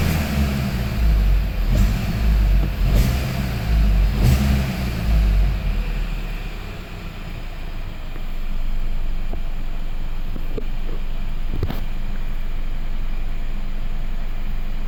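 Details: Hyundai i30 / Kia Ceed 1.4 T-GDI engine: a rough, uneven rattle through the revs that settles into a steadier run; engine rattle, cause unknown.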